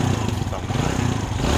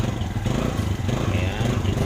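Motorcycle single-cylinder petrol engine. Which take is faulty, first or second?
second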